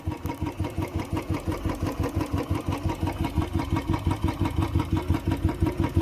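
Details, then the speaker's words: Royal Enfield Bullet 350cc, started on second kick after sitting about 1.5 months in cold winter weather: slow, even thump of the big single at idle, roughly two beats a second, steady and clean with nothing rattling. "देख सकते हो आप ये इसकी आवाज है 350 सीc वाले engine की आवाज"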